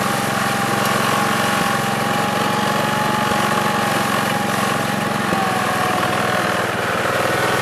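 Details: 1969 Gravely 432 small petrol engine, next morning at about 15 degrees, driving after carb float level fix; steady mid-pitched drone staying even, no misses or knocks. Normal running.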